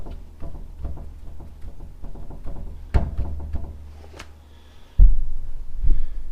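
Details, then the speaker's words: Chevrolet Silverado passenger-side front wheel rocked by hand: hollow clunks about once a second with loose knock each way, first suspected pitman arm; worn front wheel bearing, to be replaced. "Doggone wheel bearing shot. So I'm gonna have to order one of them."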